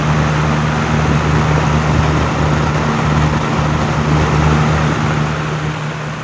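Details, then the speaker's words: 1987 Patton CA-1284 12" rotary box fan, run with the front guard loosened. A steady, even whoosh with a low hum and no rattle or ticking; no noise or vibration. "is a very nice blast of of air that that thing is throwing out [Music] awesome no noise or no vibration at all no noise"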